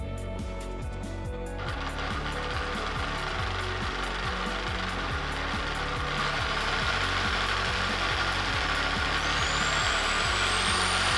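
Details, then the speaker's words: Cheap drill press, previously broken and repaired by owner, used for drilling metal which strains its motor, gears not yet greased; steady motor hum with fast rough ticking about four per second; rough gear noise from ungreased gears. "Mesin drill saya ni agak kasar sikit bunyi dia sebab mesin drill ni hari tu dah rosak. Jadi saya repair balik. Saya belum sempat lagi nak sapu grease dekat dia punya gear ni."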